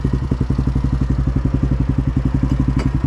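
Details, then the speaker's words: Yamaha Grizzly 660 ATV broken down on a trail and pushed by hand: a rhythmic shudder instead of easy rolling, with clicking, then a sharp clunk as it locks up. The owner suspects the differential. "See how it's like kind of shuddering? It should just be easily rolling"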